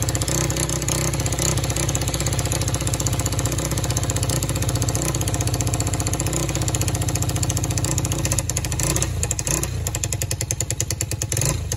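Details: Free four-wheeler (quad) with non-working start button, started by jumping the solenoid; small single revs and idles with an uneven, stumbling beat and speed dips; rough running, carburetor needs fixing.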